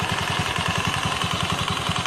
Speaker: Strange noise from CVT. Something is wearing out. Clutch outer. Transmission bearing. Drive facing. Fly ball.